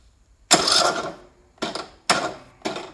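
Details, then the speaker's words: Craftsman lawn tractor, 19 hp Briggs & Stratton, battery fully charged; four short labored starter bursts stalling against full compression, no firing: no-start from failed camshaft compression release (decompression). "so you're getting full compression that's that little starter don't like it so here we go here's the no start issue that we're having"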